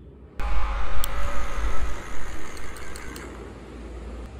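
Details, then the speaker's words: Caliper-type electric parking brake actuator, removed and powered directly from battery: short smooth electric motor whir with gear buzz, then stops; actuator working properly, retracting for piston push-back. "so you don't need to remove the C you just do it on the car and when I turn the switch on you will hear the actuator"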